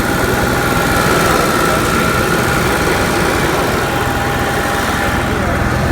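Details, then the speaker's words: Onan Marquis Gold 5500 RV generator after fuel pump replacement (previously stalling), started with the central AC off so there is no load. Constant, even hum with no surging, hunting or stumbling. Normal running. "let's see what happens nice and steady"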